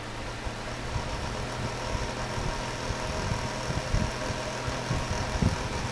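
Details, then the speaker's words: Window fan running on its high speed setting after disassembly and knob repair: a steady low buzz and hum, even and unchanging. The high setting was always loud and buzzy and still makes the same noise; the switch now works. "and it's that one left making that in the same noise but at least the switch works so I guess that's how you do that"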